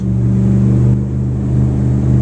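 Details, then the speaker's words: Boat engines at the dock, 3,000 rpm with the engine compartment closed: steady, deep, throaty growl at an even pitch with no knocks or misses. Running normally. "that's generally what you're hearing that's with the engine compartment closed 3,000 nice throaty growl"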